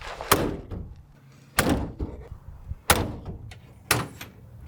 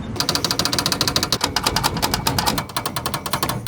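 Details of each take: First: 1987 Suzuki Samurai tin top after new inner window seals, outer door seals and sound insulation: several solid, dull door thunks, each dying away cleanly with no buzz or rattle; the glass and seals sit tight. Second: 1987 Suzuki Samurai tin top: rapid, sharp clattering chatter, roughly eight to ten hits a second, from loose door glass rattling in its frame. The inner window seals and outer door seals were worn out and were replaced with new weatherstripping.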